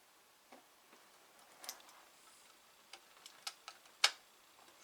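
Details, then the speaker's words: Atari 1050 disk drive, shipped damaged, after adjusting the track 0 sensor slightly forward (sensor test now OK): sparse, uneven sharp clicks as the head steps erratically, drive making a lot of noise; cause not pinned down. "So, this thing is making a lot of noise."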